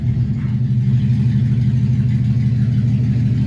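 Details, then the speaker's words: 1971 Plymouth Satellite wagon after coolant refill: an even, steady V8 burble at idle with no ticking or exhaust leak chuff, sounding much better. "All right, that sounds way better. Here we go."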